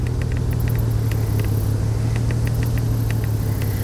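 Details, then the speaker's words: 2002 Chevrolet Trailblazer idling with uneven stumble, misfire code on cylinder 3; revs up fine but misfiring at idle. "i can rev it up rose up fine yeah it's misfiring right now"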